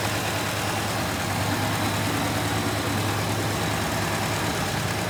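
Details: 1967 Plymouth Fury III 383 V8 just started after 15 years with new fuel pump, smoky, probably from burning dust: steady, even rumbling idle with no misses or knocks; healthy.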